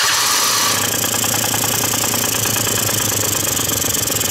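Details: Quantum RS two-stroke with its mixture screw turned fully in idles unevenly, with a fluttering, sagging beat near 200 per minute, faltering as if about to stall (leaky crankshaft seals can affect the needed setting); rough idle from an over-lean mixture.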